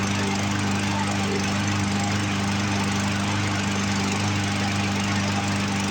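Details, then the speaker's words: Roadside-found Poulan Pro push mower, Briggs & Stratton 550EX engine, running from tank after carb cleaner: fast but uneven, stumbling beat with skips; running rough from a partly clogged carburetor that needs removal. "Well, it did take off and run on its own, pull fuel out of the tank that time. Didn't want to prime, and it's still kind of running a little rough. I don't know if you guys can hear it skip on camera or not."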